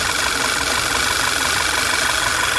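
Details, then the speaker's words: 2012 Volkswagen Tiguan with code P0507 and rough idle: loud hissy whistle over steady idle from vacuum leak at PCV (oil separator) module, began suddenly with vibration on highway. "suddenly the car vibrate a bit and allow squeaking noise whistling noise really loud driving"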